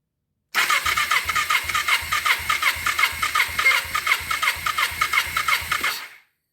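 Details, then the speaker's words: 2000 Kawasaki Ninja 250 twin that sat about a year, compression test on cylinder 1 with a temporary battery: even starter cranking, about three pulses per second, firm even compression strokes; reads 170, good compression. "All right, we got 170. I'll take that all day long."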